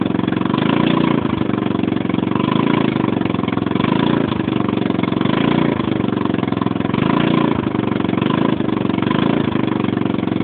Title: Loud noise coming from 150 cc scooter